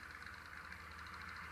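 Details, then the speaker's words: Fan on low speed: hum with a fast, light rattling tick as worn-out motor bearings clatter; bearings gone and the blade is loose, wobbling side to side. "okay and you can hear the bearing clatter in that thing"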